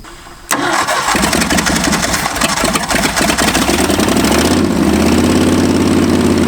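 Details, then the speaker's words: 1965 Ford F250 abandoned 26 years, after new spark plugs: it catches and settles into an uneven, loping idle with irregular pulses; better but still not right, with timing next to be checked; cause not yet confirmed. "better still not right"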